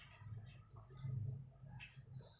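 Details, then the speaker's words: Unrepaired par light power supply with a blinking fault: fast, soft uneven ticking over a low hum from the supply; cause not confirmed, blinking usually from the preset, which will be replaced first. "इसमें देखिए blinking problem है और एक आवाज़ भी ए रहा है power supply से आपको सुनाई देगा"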